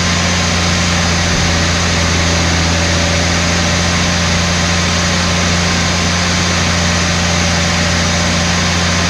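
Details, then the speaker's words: Abandoned Australian Ford Falcon ute carbureted six, warm after thermostat opened, stale fuel flushed: loud coarse, lumpy drone, running rough; sticking valve first suspected, then lean misfire from dirty idle circuit suspected, better at the back. "Hopefully we've unstuck a valve. You can hear it running really rough like this stuff."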